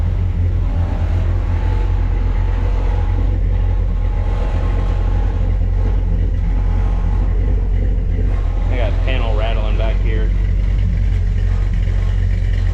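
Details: V8 truck after repairing a broken header tube exhaust leak using gasketless ball-and-socket header joints and crimped lock nuts: deep, steady, even idle rumble with no ticking or puffing. Normal idle with the leak fixed.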